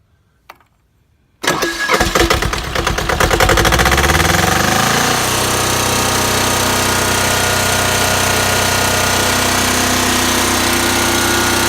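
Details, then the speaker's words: Voltmaster 13000 diesel generator with a 2-cylinder Lamborghini engine, started after the glow light goes off: short crank, then it catches and climbs to a loud, steady, even governed run with no knocks or misses; normal start and run. "It's loud, but it'll power up a small little shopping center."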